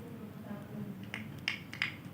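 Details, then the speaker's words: Manual transformer test, speaker on secondary winding and battery touched to primary: sharp separate clicks about four a second, meaning windings are intact and the transformer is good. "Nah, tik berarti bagus ya. Bisa bunyi speakernya berarti bagus."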